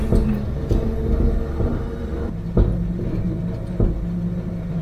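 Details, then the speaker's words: 1959 Chevy Apache pickup, engine freshly rebuilt, cracked radiator, first test drive in third gear: engine drone under load with loose clunks and rattles every second or so, noisy like parts falling off; source unknown. "like parts are falling off. That's okay. Hang on, Woody. Third gear. All right. noisy, but it runs."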